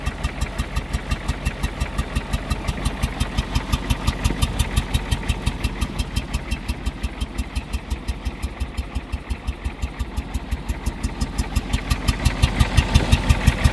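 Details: Ford 6.9 IDI diesel idling: steady pulsing chuff about three a second coming from the air cleaner/intake; cause unidentified.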